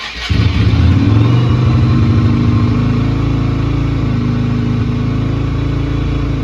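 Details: Yamaha Virago XV250 twin, not ridden in 8 years, with oil slightly overfilled, started without choke: brief crank, then catches cleanly and settles into a steady, even lumpy idle with no misses; starts and runs fine.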